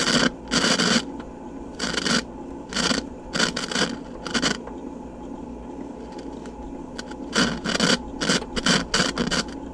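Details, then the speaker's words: 1978 Fisher-Price children's phonograph playing through its small speaker with irregular raspy crackling bursts; noisy output, which the owner thinks needs contact cleaner (deoxidizer) but otherwise works fine. "Well, it's quite noisy as you can hear. Uh that needs some deoxid or something, but if you leave it alone, it's it's just fine."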